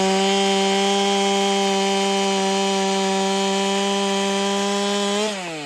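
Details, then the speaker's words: Ported Holtzfforma 395 chainsaw, first test cut after build changes: a high steady scream in the cut, dropping off as it unloads. Owner feels it is slightly worse with cut RPM about the same and suspects unseated rings; carb fattened. Engine running under load. "Personally, I think I got a feeling it's running a little worse. But we'll have to do the side-by-side to find out. I can tell you no great changes in how fast it's cutting."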